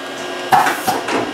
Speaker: get a really smooth tool change way smoother than it's ever been before it's exactly like it's supposed to it's a lot quieter now